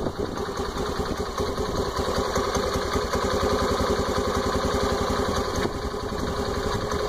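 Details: Honda Activa 125 scooter with only 115 km, idling: quick, fairly even clicking about two to three a second over the engine; source unknown.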